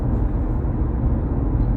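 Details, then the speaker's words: Kia e-Niro at 60 mph after rear and front toe alignment adjustment and new all-weather Firestone tyres: low, even road rumble with no droning hum. The earlier tyre noise on Michelin Primacy 3s has gone; normal tyre road noise. "After the adjustment, so everything is pointing the right way, and the new set of all-weather Firestones, we have this noise."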